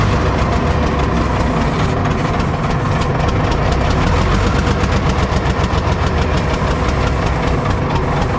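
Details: Cat 977K track loader diesel restarted after cleaning a badly contaminated fuel filter: roars into life with a coarse uneven chug under the rumble; rough running, still sounds fuel-starved, cause suspected not confirmed.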